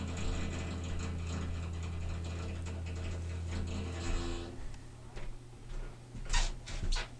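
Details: Water heater that does this every evening at exactly 9 PM: a steady low hum with a slow, irregular mechanical ticking of about two per second, fading into scattered clicks. Source of the ticking unknown.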